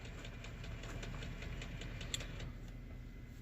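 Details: 2015–2018 Lexus ES350 after steering noise repair, engine idling while wheel is turned: light regular ticking only, no groan, clunk or whine; power steering quiet and healthy.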